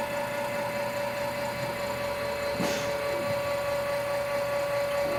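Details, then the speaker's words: Indelac AS series spring-return electric actuator driving open (12-second cycle): steady, even mid-pitched motor hum with no knocking or grinding, locking into place; motor running normally. "cycle time on this is 12 seconds. There we go, locked into place."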